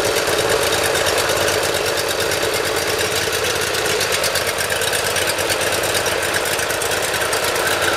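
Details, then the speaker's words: Briggs & Stratton Intek V-twin on a Dixon mower after valve lash adjustment, Nikki carburetor jet reaming and choke adjustment, cold start with full choke: steady even chuff, fast regular beat, no misfires or surging; starts easily without starting fluid. "Probably even going to double check and adjust that governor, make sure there's no play in there, but it starts very easily now, no starting fluid."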